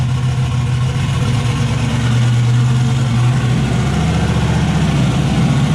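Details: Turbocharged V8 Zodiac S10 after fire-up with turbo setup, wideband not yet hooked up; loud, lumpy run with uneven beat, missing at certain rpm and clearing at others.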